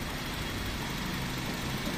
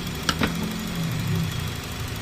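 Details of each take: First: Honda City 2000 Type Z that stalls with the aircon on and shows a check engine light: idle sits low and uneven, the engine struggling and near stalling, running only on air during idle adjustment. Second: Honda City 2000 Type Z, whose complaint was stalling and high idle with the aircon on, after idle adjustment: a quiet, even idle with a smooth low hum after a small clunk at the start.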